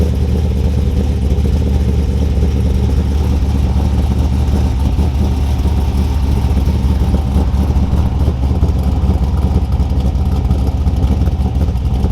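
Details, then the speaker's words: 2002 Trans Am with LS1 383ci stroker, cold start after cam sensor fix (extended cam harness): deep, steady V8 rumble, even firing, no ticks, knocks or misses, settling into healthy idle; normal cold start idle. "We'll go out here in a few minutes and get some idle clips for you and let you guys hear that thing. Try to get you guys a cold start real quick."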